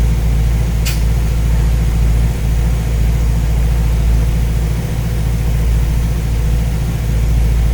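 Even, deep V8 burble with a steady low pulse and no knocks or misses; a warm engine idling smoothly.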